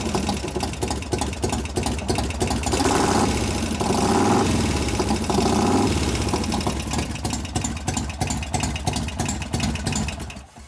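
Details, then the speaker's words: 1988 Harley FXR V-twin after a new Crane lifter was fitted: a sharp, light tick about three times a second over the uneven idle. The same lifter is still noisy and is suspected of not pumping up; cause not confirmed. "Same damn lifter still going. Okay, let's put it in gear. Let's see if we can find what that lifter's on."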